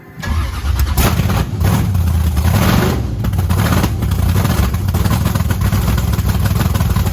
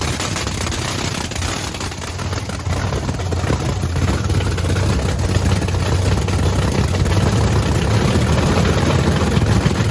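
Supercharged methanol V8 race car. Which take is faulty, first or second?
first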